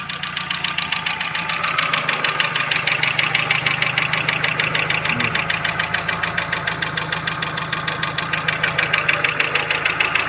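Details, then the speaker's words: Chevrolet Cruze engine tick that persists after an oil change with a five-minute flush. A steady tick of about three per second keeps pace with the idle; 16 hydraulic lifters have been ordered as the next suspected fix, cause unknown. "Так, ну, стук никуда не исчез. Сейчас заведу. Тук никуда не делся."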